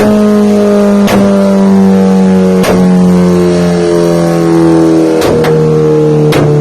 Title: Cbr1000 dyno run popping sound